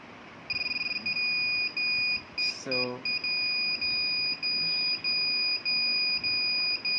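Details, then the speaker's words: Naze32 flight controller on a QAV210 quadcopter during Cleanflight setup: steady high-pitched beeps about every half second in a quiet room, because the transmitter is off. No-receiver-signal warning. "beep is coming because my transmitters off"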